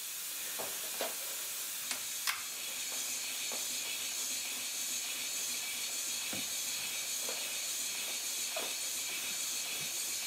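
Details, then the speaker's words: 5-inch gauge Stirling Single steam locomotive chassis running on compressed air in neutral: steady high-pitched hiss with faint clicks, no exhaust beat, from air leaking around electrical-insulation sleeving used as tubing; otherwise runs smoothly with no knocks; cylinder weeps since cured. "the the compressed air that you can hear is simply leaking from um around these uh this rubbish uber that is not really rubber tubing"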